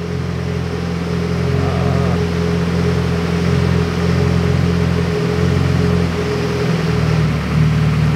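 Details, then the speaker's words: Car on a remote-tuning laptop, idling at about 30% fuel with air-fuel around 13.6–13.7: after a fuel-table change the steady idle drone shifts and roughens, running super rich; undoing the change brings it back. "you can hear the engine change and now we're super rich so if we just hit undo pops right back up"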